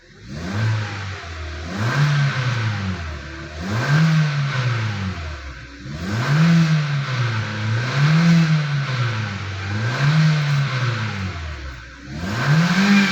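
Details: 2016 Hyundai Elantra engine bay: repeated revs every couple of seconds bring a droning hum that rises and falls with engine speed; the power steering pump is mentioned, but the source is not pinned down and the cause is unconfirmed.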